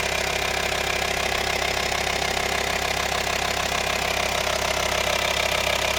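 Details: VW T5 2.5 TDI (BPC) diesel at idle: an even, steady tapping at about three beats a second over the idle; a clear engine noise whose source is unknown.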